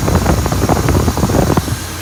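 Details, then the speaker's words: 1966 Oldsmobile Ninety-Eight V8 after idle speed and mixture screw adjustments on the carb: a deep, even rumble with no misses or surging at a low, steady idle, no longer racing high as before; normal idle. "all right did some Idol speed and mixture adjustments she seems way happier very docile on the RPM at idle not screaming like she was before"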